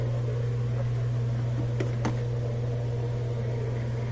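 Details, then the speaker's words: Kenmore top-loader washer tested after the cracked case was zip-tied and tightened: steady low hum at even pitch, no knocking or scraping, a couple of light clicks; spinning normally. "I'm gonna try it out plug it back in and hear it spin"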